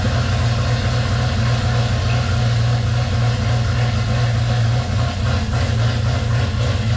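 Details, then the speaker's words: 1978 right-hand-drive Postal Jeep on 2001 TJ chassis, freshly swapped V8 with newly installed ACES EFI, first start: deep loud steady V8 rumble, no misses or knocks; runs healthy. "Oh yeah. That's crazy. I mean, like, it fired up just like that. Like it's been running its whole life."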